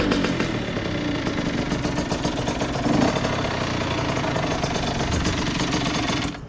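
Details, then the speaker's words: 2001 Honda CR80 two-stroke with stock exhaust, earlier knocking noise: slow, uneven popping that stumbles and cuts out; idle speed set too low, idle screw turned up by hand. "I might need to turn the idol up a little bit y'all let me turn the idle up a little bit yeah it's a little too low"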